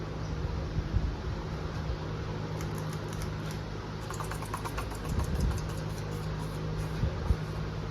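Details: 1986 Emerson Northwind Hugger ceiling fan made by Alaska, installed in a garage for a year and dusted off, runs with a low steady hum and soft airy whoosh, even tone, no rubbing or clicking; it runs smooth and healthy.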